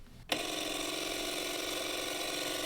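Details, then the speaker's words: Narrowboat water pump after water was added: starts with a click, then buzzes and rattles steadily with no water flowing; owners suspect something loose inside, not confirmed. "that sounds worse right nothing what the hell it sounds sounds horrible doesn't it but sounds like there's something loose in there somehow I'm not sure yeah doesn't sound right"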